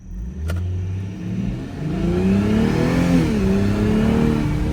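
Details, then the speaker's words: 2023 BMW M240i rebuilt after a wreck, driving under acceleration: a thin whine rising in pitch as it pulls harder, heard from below the cabin and separate from the engine note; owner suspects the transmission, not confirmed. "This is freaking me out. I think my transmission is acting up more and more. I'm not sure if you can hear it, but listen to this whine."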